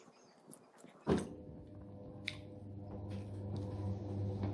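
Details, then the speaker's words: LG Turbo Drum washing machine whose cables were damaged by rats and whose water-level vacuum switch had jammed, tested after repair in spin mode with the top off and the door sensor magnet moved to the PCB. A click, a thump, then steady motor hum spinning up normally. "Baiklah, ini di mode spin. Mesin cucinya bisa berputar."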